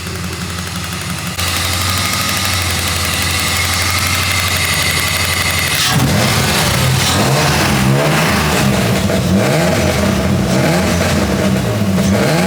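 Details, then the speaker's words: BMW E30 after an engine swap, since the old engine had metal shavings and burned cam caps: it starts, idles evenly and revs cleanly; lifter clacking gone once oil circulated, a slight tick remains that is common on these motors; normal running. "the clacking of the lifters went away the oil smooth it all out there's a little bit of a tick left but it's actually pretty common on these motors uh but I think he's going to love it and now it runs and drives it functions"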